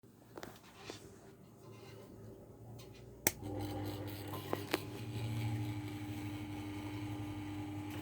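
Steady low hum from the running fan, with irregular light rattles and a faint buzz riding on it; a rattling, buzzing fan.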